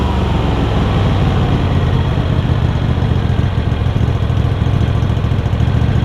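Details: Craftsman garden tractor Kohler CV20 V-twin, pre-warmed, after carb clean and idle adjustment, started without choke: steady even idle thrum, no misses, knocks or surging; idles cleanly.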